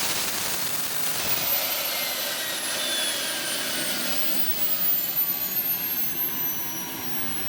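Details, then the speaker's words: Boomerang Atom RC jet turbine idling too high: the readout shows 162,000 RPM, with the figures 49,000 and 53 also mentioned around idle, and the idle needs adjusting down. A high, piercing whine holding steady with a faint falling tone. "what's up got 162,000 RPM that's too much too much idling right around 49,000 we're a 53 okay oh you can adjust that can't you"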